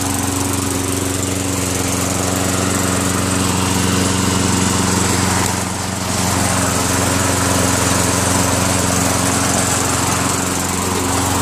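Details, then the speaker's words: Craftsman Eager 1 self-propelled lawn mower with a Tecumseh 5.5HP engine, after a carburetor clean and a throttle spring adjustment. The engine note stays steady at a constant pitch and level and holds its speed smoothly. Normal running. "well it's all it took just a little bit of a spring adjustment and got it perfect like a kitten"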